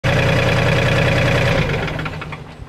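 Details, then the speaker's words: Workmaster 25 tractor with a mid-mount mower deck: harsh grinding racket and a steady ringing tone from a failing, seizing deck pulley bearing. It is the second pulley being replaced. "I jumped on the mower last week and it sounded like a grinder I just was making a racket and I traced it down to this"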